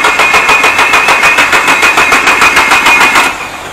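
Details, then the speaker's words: Nissan Silvia S15 SR20 at workshop: starter cranks in steady even pulses, about three per second, but engine never fires; cause unknown, mechanics checking Link ECU data and wiring. "not a good sign the engine is cranking but just can't fire you up as what happened we tried before"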